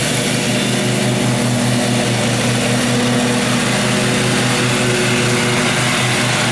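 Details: 2012 Husqvarna riding mower that survived a flood, run before any carburetor cleaning: a steady, constant drone with a firm even beat and no misses or surging, normal smooth running.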